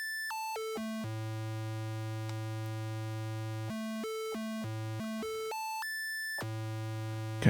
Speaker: Just going to do a tiny bit more. and I'd say that's pretty spot on.